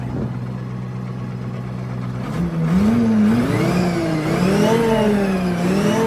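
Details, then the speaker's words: FV432 APC K60 diesel: settles into a smoother, more even beat as it revs up and holds, firing steady with no stumble; sound transformed, normal running. "Well, I wouldn't have said it had, but it's definitely running better. That one was definitely out. It's not like holding a temper. Yeah. It definitely sounds better, doesn't it?"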